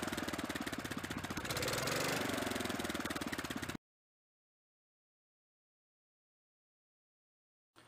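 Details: 1983 Avenger 400 ATV, 318cc Kohler K181 8hp single, with newly fitted choke cable: thumps about four a second, brief rev then even steady beat; running cleanly and healthy.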